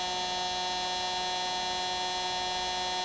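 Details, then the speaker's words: Singer Model 221 Featherweight sewing machine motor test-run via foot pedal, slowly, after rebuild with new brushes, greased wick tubes and reinstalled pulley: smooth, even hum at constant low speed with no rattles or scraping; motor runs cleanly. "oh snappy huh i know you can't see it spinning you'll have to just strictly go by the sound"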